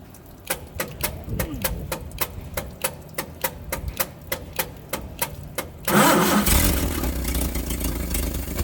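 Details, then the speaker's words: Engine not run in 30 years, restarted after running water through it; it had reached almost 50 psi oil pressure when revved and smoked slightly. Even cranking at about four turns a second, then it fires and settles into a smooth, steady idle with no knocks. "see how smooth the nidles"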